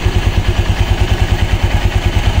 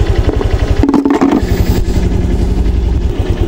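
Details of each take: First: Honda Click 125 V3 scooter, idle raised by adjustment: heavy even low thumping about eight beats a second with rattly clatter on top from the CVT pulley side; raising idle makes the pulleys noisy, cause not yet found. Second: Honda Click 125 V3 scooter, after raising idle speed: small engine ticking over at steady even beat, earlier knocking gone, no stumble, no stalling or hard starting; idle smooth, exact correct rpm unsure.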